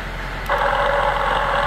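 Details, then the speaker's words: Honda Element manual transmission, noisy in fifth gear at about 30 mph and 1100 rpm, heard through an electronic stethoscope channel: steady mid-pitched whine over the hum; worn internal bearings, gearbox needs repair or replacement. "malas noticias compañeros hasta aquí se escucha se me cayó pero ahí está el Canal 2 no mienten soy el portador de las malas noticias esta transmisión o se arregla o se pone una usada"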